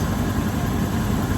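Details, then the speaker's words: 1984 GMC Sierra Classic started right after a new alternator belt was fitted and tightened: it fires right up and settles into an even, low-rumbling idle with no belt squeal or chirp, and it is charging; normal idle. "There we go. Fires right up. I'm telling y'all, this is a great truck."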